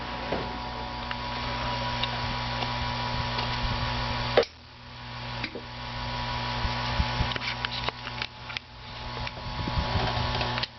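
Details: NOS GE 6JE6C tubes glowing blue in an amp; irregular faint ticks and clicks over a steady mains hum, cause unclear.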